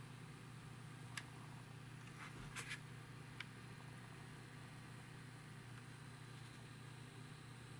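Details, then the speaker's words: Opus BT-C3100 V2.2 battery charger after 1 year 3 months, with a replacement cooling fan running at low speed while charging: a faint, smooth, steady hum with a few light clicks. It is quiet and normal. "Итак как мы видим сам вентилятор у нас запустился внутри он крутится и всё Да всё отлично работает на мелких оборотах сейчас не шумит вообще вот"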